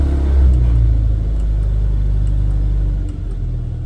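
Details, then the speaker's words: Rover P4 80, fuel solenoid in the carburettor suspected (thought to keep fuel flowing after key-off, causing exhaust backfire at shutdown). Engine briefly warmed, not yet fully hot; even low idle fades out at switch-off with no bang. Clean shutdown without backfire. "fingers crossed no bang so i think we've solved the problem of the backfire"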